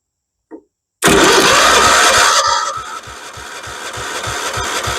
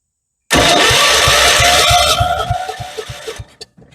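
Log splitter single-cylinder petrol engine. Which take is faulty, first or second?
first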